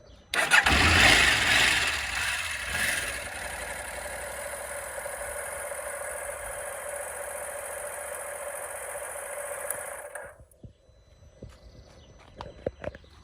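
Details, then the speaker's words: KTM 890 Adventure with an intermittent no-start fault, started after pulling the bars left, ignition on, side stand: starter catches at once, the twin settles into a steady, even idle, then switches off cleanly; normal start and idle. "Pull the bars round to the left. Ignition on. Side stand. Right, the bike will start"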